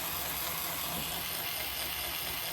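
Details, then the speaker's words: HO scale brass Union Pacific FEF-3 4-8-4 #840 model locomotive connected directly to the tender, finger holding the front: faint, steady whirring, runs smoothly non-stop; owner suspects the loco-tender connection, not the motor, causes the trouble. "but look how smooth it runs like non-stop it keeps going"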